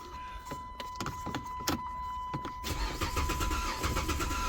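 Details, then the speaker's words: Car towed in with a no-crank and security-light issue, now repaired: the starter spins the engine evenly at about three turns a second but it never catches. It is now a crank, no-start, with no fuel getting through. "I'm not getting no gas so they got to pay for diagnosis now let me explain something to y'all this just went from a no crank complaint to now a no start"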